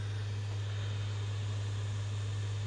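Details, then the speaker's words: Five-week-old PS5 CFI-1216A disc drive after a jammed foreign object was removed. The disc spins up with a steady, even, quiet hum and none of the earlier clatter. Normal, healthy disc spin-up. "excellent you can hear it spinning up oh my goodness here wow that is super silent computer to what we had before"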